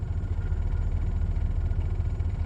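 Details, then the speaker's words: 1988 Mercedes 560SEC, M117 V8, after repair, idling in drive at about 650 rpm: deep, even, steady idle with no misses or knocks. Running healthily, though some vacuum leaks underneath remain unfixed. "Yup, picks up pretty well in drive. So we are in drive right now. It's pretty steady."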